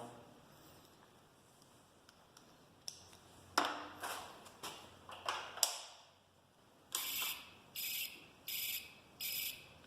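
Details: Taotao TBR7 250 turn signal beeper before removal; a steady on-off electronic beep, roughly one chirp every 0.7 seconds in time with the flasher, with the unit working normally.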